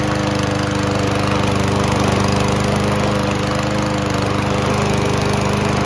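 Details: Toro Recycler self-propelled mower, Kohler engine, sat a few months: after old fuel cleared from the carb bowl with fresh fuel, steady even single-cylinder drone, no surging or stumbling; running smooth.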